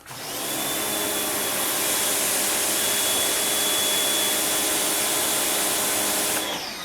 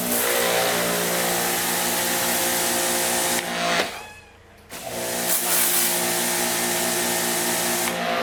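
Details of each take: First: Greenworks electric pressure washer with a sealed three-plunger pump and auto start-stop: a loud, steady high-pitched hiss and whine for about six seconds, then it cuts off; normal pump start and run. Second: Greenworks electric pressure washer: loud steady buzzing whine with strong fixed tones, cutting out briefly and restarting; this unit runs noticeably noisy.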